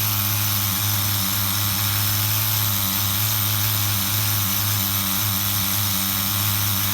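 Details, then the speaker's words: HPI RS4 Nitro RC F150 pickup, retuned on 16% nitro fuel: fast, steady buzzing idle, earlier lifting idle now totally even; normal idle. "You guys can hear how the idle was lifting a little bit. Now it's totally even again."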